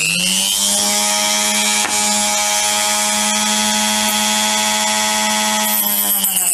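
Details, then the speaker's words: Parkside PFBS 160 B2 precision drill-grinder cutting with a blade on its small support: a high thin whine with a rough growl underneath, less noticeable with no load; growling vibration, cause suspected, not confirmed. "Bon, on a clairement entendu cette espèce de grognement. Il le fait pas trop à vide."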